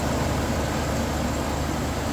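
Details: 2000 Chevy Express 2500 van, 5.7L V8, at operating temperature after water pump and power steering pump replacement and O-ring change: even, steady low rumble with no knocks, ticks or squeals; smooth normal idle, no leaks.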